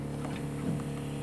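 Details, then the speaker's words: 2004 Sea Pro 255 boat, pump on accessory switch: steady low electric hum with no water load, pump trying to pump but running dry with no water in it. "I can hear it. It's trying to pump. But there's no water in it. That's what it is."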